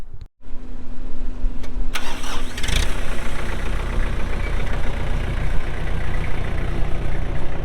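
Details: 2004 Kubota M6800 4WD tractor, pre-emissions diesel, 1,181 hours: short crank, catches at once, then settles into an even, steady diesel clatter at idle; healthy cold start.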